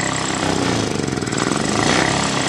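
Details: Honda Scoopy FI (new ESP) scooter engine sputters unevenly at idle, sounding ready to stall; complaints of delayed throttle, stumbling and electric start not working, battery 12.5 V engine off, kick-started; injection system to be checked. Finding: engine misfire and stumbling at idle.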